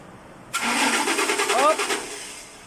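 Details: 2006 Ford Expedition crank no-start: the starter spins the engine steadily for about a second and a half without catching. Spark and pump supply voltage were good; the failed fuel pump was replaced.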